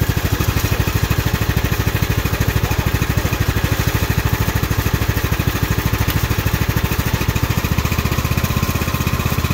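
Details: Craftsman hydrostatic riding mower after the repair (plastic shields removed), listening at the pulleys underneath: a steady, even single-cylinder thump at a settled speed with no rattle or grinding. The earlier loud noise is gone, and it runs normally.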